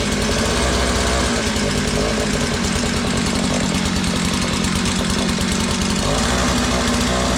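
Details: Curb-found Mantis-style tiller, two-stroke Tecumseh engine, after fuel system cleaning, on choke: steady fast even buzz, no misfires or surging, but throttle not responding before carburetor adjustment; normal running.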